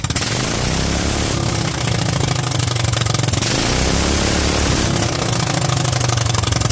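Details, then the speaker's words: Kohler single-cylinder engine with a Honda GX390-type carburetor, .024 idle jet and 47 main jet: a steady, even beat with a strong low rumble and no stumbling; runs happily, with slightly less kick than the 45 jet. "47 seems pretty happy I think it had a little bit more kick up with the 45"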